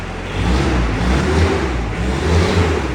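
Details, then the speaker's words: 1972 Range Rover Classic Suffix A, started for the first time after long storage, cold and smoking a little: a deep, even note rises and falls with throttle blips, no misfire or knocking; a knock heard earlier is suspected to be the exhaust banging. "sounds healthy it's really good look at that"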